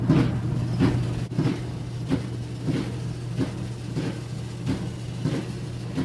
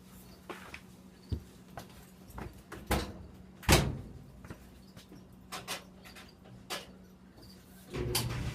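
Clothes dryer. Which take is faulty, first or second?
first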